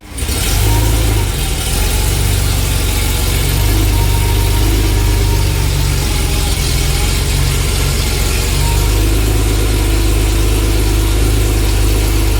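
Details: Barn-find Porsche 911 SC that sat 16 years: lumpy, uneven idle that surges and dips, with pops back through the intake: rough idle with intake backfire.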